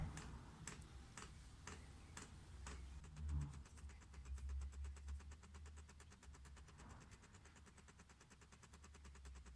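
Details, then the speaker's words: Diesel heater priming cycle on the bench, pulse pump alone drawing about 0.25 to 0.5 A: fast, even ticking from the dosing pump near full rate with no combustion, normal priming. "And that pump cycle, that pump is now pretty much full speed doing its priming."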